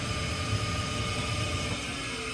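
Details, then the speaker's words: Trane XV95/XE80 HVAC unit inducer motor, after a storm-damaged control board was replaced: a loud hissing roar and motor hum, still noisy while winding down after the fuse is pulled. It shouldn't be that loud; a replacement part will be ordered. "So, it's kind of noisy even winding down, but it shouldn't be that noisy."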